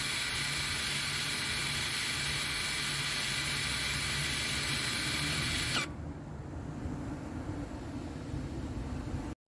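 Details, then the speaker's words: 2021 Toyota RAV4 AWD 2.5 with EPB being put into service mode for a rear brake job: the rear parking brake motor gives a steady hissy whir for several seconds, then cuts off cleanly, winding back normally. "you will hear in the back you'll hear the motor it will uh retract and or wind back the motor so make sure you're able to hear that"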